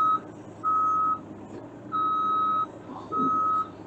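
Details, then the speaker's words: Bobcat E32 mini excavator tracking forward or reverse: loud steady beep about once a second, a half-second tone then a pause, repeating while the tracks move. Normal travel alarm, which sounds in both directions. "it's going to beep in both directions for you so it doesn't it's not really a backup paper it's just a moving beeper so if you hear that beeper that just means you're moving either forward or reverse"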